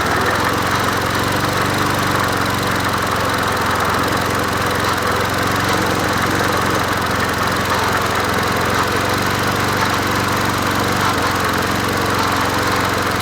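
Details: Old free Murray 20" push mower #20201D, missing gas tank, carburetor just got working after off-camera adjustment, run without air filter; small single-cylinder runs steadily with a coarse busy note, running but not yet smooth — rough running.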